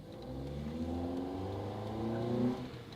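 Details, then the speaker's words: Rebuilt crash-damaged 2010 Honda Accord, redone timing chain, first test-drive pull: engine pitch climbs smoothly with revs, crisp exhaust, no knocks or ticks; healthy acceleration, runs and drives. "Oh, she sounds mean. And with that, the Accord is fixed. It runs and it drives."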